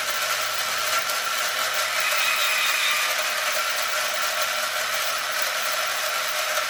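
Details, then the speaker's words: Arrma Limitless GT with Castle 1721 2400kv motor on a Perfect Pass mount, spun on one battery instead of 8S without the remote to set mesh: steady high-pitched electric whir, even gear hum, no clicking or grinding; mesh properly set. "So I don't know if you guys could hear that, guys, but you can hear when the mesh gets just about perfect."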